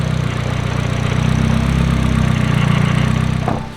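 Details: Freshly built Nissan SR engine at idle, just after ignition timing was set (it had been 5° off, now locked). Steady, even idle with a crisp, regular firing pulse and no knock or miss. Runs clean.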